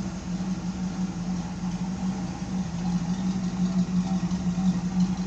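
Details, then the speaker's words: 1972 Pontiac Firebird Trans Am V8: smooth, even low burble, no knocks or ticks; owner thinks idle is a little low and might raise it. Normal idle. "I think my idle's a little low yet but I kind of like [Music] it I kind of like that I might bring it up a [Music] little"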